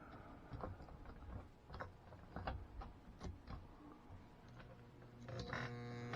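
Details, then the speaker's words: Pre-1957 all-metal American Flyer S scale locomotive with dirty wheels, after electronics cleaner sprayed into the motor and tender: handling clicks, then steady low electric hum with no rotation; motor stalled, owner suspects worn brushes. "and i can see the stuff moving in there so i'm wondering if uh we're gonna have uh motor thing going on like maybe the brushes aren't good anymore or something"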